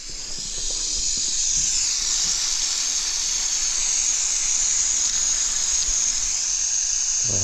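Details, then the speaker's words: Cummins N14 truck engine after camshaft, cam bearing and follower replacement, first run after fuel line tightened: loud steady high hiss over engine, something leaking, source not yet found; center Jake head gasket later seen curled. "it's a little pressure gauge there it goes oil pressure oh what's leaking there"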